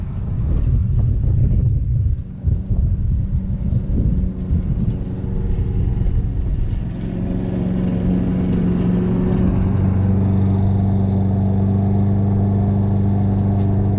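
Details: Free Craftsman push mower: one-pull cold start with the exhaust cold; pulls off rough for a few seconds, then settles into a steady, even drone holding its pitch, running clean and healthy.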